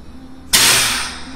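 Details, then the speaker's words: Air-brake air dryer on a test bench, charged to governor cut-out: sharp burst of air hiss fading over about a second as the larger purge tank empties while the governor signal holds; normal dryer purge. "ahí fue el corte quitamos i este tanque de purga es más grande y está acabando de vaciarlo con lo que se escucha ahorita pero se mantiene la señal del gobernador"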